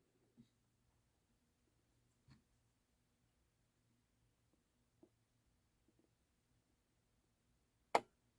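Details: Dual CS 5000 turntable with multiple problems, missing piece under cueing piston: near-silent room with faint ticks, then one crisp click as the cue solenoid fires and lowers the arm; normal cueing solenoid operation.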